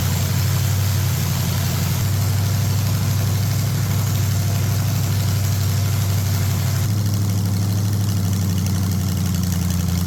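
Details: Rust-seized Ford 460 big-block V8 pulled from an RV, freed up and running: settles into a steady, deep, even idle with no knocks or misses; sounds healthy.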